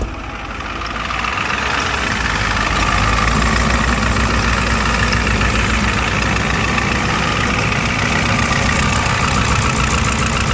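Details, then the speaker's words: 1993 Ford F350 ramp truck, 7.3L V8 turbo diesel, 5-speed manual, 175k miles: even, steady diesel clatter settling after startup, no misses or odd knocks; healthy idle, though belt sometimes squeaks on first crank. "turbo diesel engine, very nice and quiet, runs very strong."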